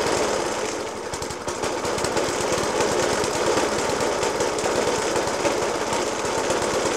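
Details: Suffolk Punch 30S lawnmower (1991 era) with Dellorto FCH 20 carb: rough idle with heavy, uneven banging about three per second, persisting after spark plug change, decoke and carb clean; cause still unknown.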